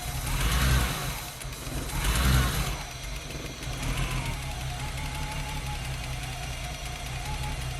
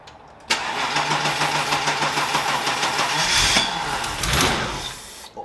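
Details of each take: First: BMW E30 323i Baur six, after 10 years sitting, running on starting fluid sprayed into the throttle body with a blocked fuel system: a couple of throttle surges, then a soft, even purr with no knocks or ticks; motor sounds healthy. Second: Barn-find BMW E30 323i Baur, first start after 10 years sitting, near-empty tank: starter cranks steadily ~5 seconds on starting fluid, fires briefly but won't run; pointing to no fuel delivery.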